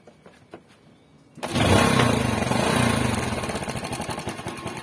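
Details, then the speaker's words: Yamaha Spark motorcycle after fixing the fuel tap (petcock), which had caused stalling, choking on revving and unstable idle: engine starts and settles into a steady, even idle without stalling. "นะครับนิ่งเลยนะครับจากเมื่อตอนนี้มีอาการสำลักนะครับเบิ้ลหาหรือเล่นเครื่องแล้วก็ดับนะครับแค่นี่คือนิ่งเลย"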